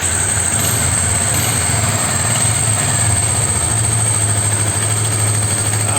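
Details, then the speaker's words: Yamaha Special 250 that was very hard to start cold, after repair: cold start using the choke, then a steady, even idle with a firm low beat and no stumbling or misses; problem appears solved, normal cold idle. "vamos a ver si se ha solucionado el problema damos contacto en moto frío sin problemas"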